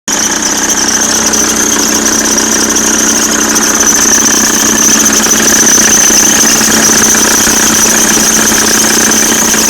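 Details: Audi C4 with AEL engine: steady, shrill high-pitched whine over the running engine with light ticking underneath, louder when the throttle is pressed. Timing belt and water pump were already replaced; mechanics could not fix it.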